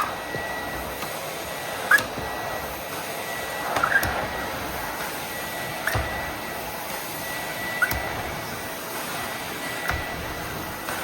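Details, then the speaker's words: 30-year-old Miele S312i vacuum cleaner after refurbishment: steady suction rush with a sharp squawk roughly every two seconds as the floor head moves; floor head squawking. "So annoying squawking the floor head aside and the bank connector."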